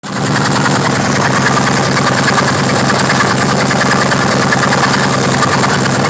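V-twin idling with a loping beat and a faint repeated tap riding on each cycle, a knock whose cause is unclear.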